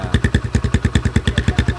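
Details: Motorcycle GL-type exhaust being reworked with longer inner pipe before welding, at idle: loud sharp evenly spaced pops around eight per second; harsh note from modified silencer.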